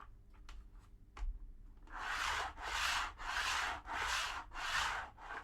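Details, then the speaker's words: TT120 model railway, track and cork glued to foam with Mod Podge, wagon rolled back and forth: repeated loud rushing roar about a second long, slightly deeper pitch than other glue; foam still amplifies track noise. "still quite noisy and indeed no different to the copy deex uh on its own there's a slight change in Pitch uh bit more deeper note to this but it's still quite a loud quite a loud noise"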